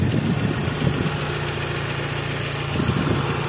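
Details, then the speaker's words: Lancer 9 with 4G63 turbo, hot idle only: light steady tapping over the engine hum; timing belt hydraulic tensioner knocking, confirmed as noise vanished when tensioner was held with a special tool, not injectors, pistons or lifters. "итак lancer 9 с мотором 4 g 63 turbo появился стук"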